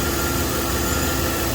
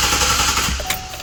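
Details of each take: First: 2012 Chevy Silverado 5.3L V8 with P0300/P0301 codes: uneven, stumbling idle. The cylinder 1 misfire moved with the plug, confirming oil-fouled spark plugs; the engine is burning oil. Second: 2012 Chevy Silverado 5.3L with P0300 and P0301 cylinder 1 misfire codes, cranked in clear-flood mode: fast, even starter chatter with no uneven beats; not a compression or mechanical problem, ignition issue suspected.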